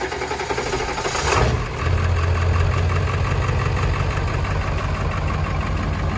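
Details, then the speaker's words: 7.3 Powerstroke diesel truck with a high-torque starter fitted 1.5 years ago, started cold after sitting 2 weeks. Brisk fast cranking about a second, then catches to even idle; starter healthy. "2 weeks of not starting at all, and you guys can hear how fast this starter still works."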